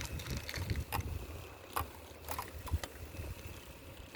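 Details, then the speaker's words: 27-inch hybrid bicycle riding on the road: sharp irregular clicks and rattles from the front wheel area only when turning right, none when turning left, over low road rumble; cause unknown. "okay guys I got this funny noise from my front wheel area on my bike um when I turn right I get this like a rattling sound"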